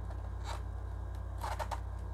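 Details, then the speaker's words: JVC RC-S5C stereo radio cassette recorder after repair (strap replaced): two short dry scraping rasps over a low steady hum as the cassette door moves. The owner doesn't know why the door is noisy and calls it not serious. "Mais c'est juste la porte qui fait du bruit, je sais pas pourquoi là."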